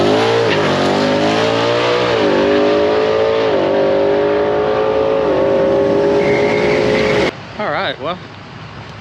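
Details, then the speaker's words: 2020 Ford Mustang GT (S550) with Hellion twin-turbo kit and fuel system, 6.5 psi boost, first drag pass (10.83 at 132.54 mph): engine pitch climbs hard under boost, then hangs before each gear change; the 1-2 shift takes too long and the car lays down. "at least on the one two shift it sounds like it's taking a little bit too long uh to shift as in the car is kind of laying down a little bit"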